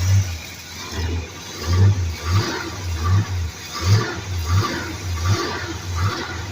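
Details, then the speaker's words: Old engine first run after about two years sitting, new fuel filter: revs up and settles in repeated smooth, even blips with no ticking or knocking; runs healthy, only a small long-standing exhaust gasket leak noted. "It runs so damn good. Yeah. It doesn't tick. It doesn't knock."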